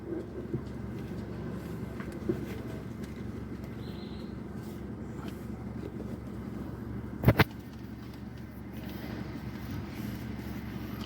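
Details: Hyundai i10 petrol engine: steady, even low idle hum with no misses or hunting; normal idle.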